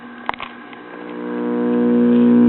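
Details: 1970 Imperial 4-speed tube child's record player with selenium rectifier, warming up: steady low hum builds and grows louder; bad filter capacitor letting mains ripple through.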